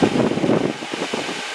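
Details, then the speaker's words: 1963 Chevy C-10 heater blower tested, powered with a temporary ground wire. A steady, even whir with no scraping, ticking or wobble is normal blower fan operation. "Turn it down. All right, fan's working good."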